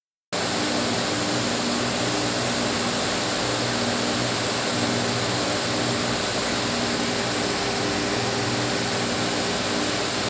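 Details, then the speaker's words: Power transformer cooling fans running: a steady, even rush of air with a faint low drone underneath, no rattles or grinding. This is normal fan operation, distinct from the transformer's magnetostriction hum. "Let’s not confuse humming sound with cooling fans sound. This is the sound of cooling fans."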